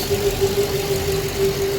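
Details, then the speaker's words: Custom twin-turbo Hellcat with a single Comp Cams cam, idling: even idle with a steady hollow droning tone that seems to come from the exhaust manifold; cause unknown. "that sound you're hearing from the manifold i heard that before like when i first put it on so i guess that's just the sound that it makes like it's a hollow sound i don't know what that sound is but that's the sound the manifold"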